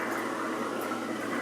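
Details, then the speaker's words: Magic Chef washing machine after motor repair (seized rotor bushings replaced), draining and spinning a heavy load of blankets: steady, even motor hum with swishing water, no bogging or shutdown. Normal motor under load. "ahorita ya está sacando el agua entonces pues ya quedó bien esto ya quedó arreglado el problema fue el motor"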